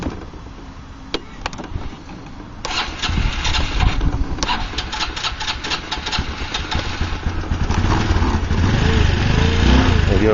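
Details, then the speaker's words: Honda Elite 150 Deluxe scooter (year given as both 1986 and 1996), 2,384 miles, starting cold. It catches after a few cranks, then runs ragged and uneven and needs throttle to stay running, because its idle speed is set too low and needs raising. "I'll start it up for you, let you hear it. They said it needs to be idled up, but it should start okay."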